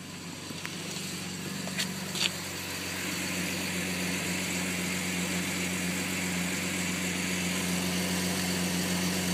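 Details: 2001 Jeep Grand Cherokee WJ Limited, 4.0 engine, California emissions, rough idle after cold start since a broken EVAP fill vent tube was fixed; slightly uneven loping pulse about four times a second; owner suspects fuel pump struggling with pressurized tank.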